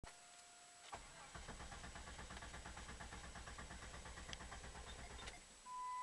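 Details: 1996 Jeep Grand Cherokee 4.0 with remanufactured PCM and new ignition coil, cam and crank sensors and fuel pump: starter cranks evenly about three turns a second for four seconds but engine never catches; intermittent stall and no-start, cause unknown.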